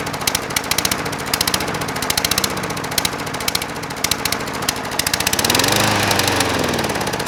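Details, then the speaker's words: Craftsman 22" mower with a 190cc Briggs & Stratton Platinum engine, oil level correct: uneven popping, surging low idle that sounds fuel-starved; running lean, later traced to the carburetor bowl. "So to me, that sounds like it's not getting enough fuel. If it wasn't getting enough air, like the air filter was clogged, it'd probably be more likely to blow some black smoke because it was getting choked off and running too rich. That sounds like it's running super lean."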